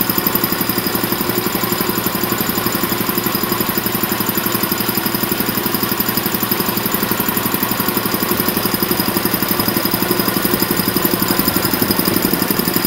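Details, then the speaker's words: Champion VR5-8 80-gallon vertical air compressor, oil changed a couple of times: steady, even pumping thump at about 100 beats a minute with clean mechanical clatter; running smoothly, nothing abnormal. "that's the setup it's been running great changed oil a couple times no problems at all um i'm gonna turn it on here and let y'all hear it"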